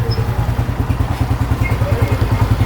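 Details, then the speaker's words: Honda CG 125 single idling after refilling empty engine oil and adjusting tappets: steady, even low thump with a regular beat, no ticking or rattle; smooth normal idle after repair. "Engine बिल्कुल हमारा smooth चल रहा है। कोई किसी किस्म की गैर जरूरी आवाज नहीं है इसके अंदर से।"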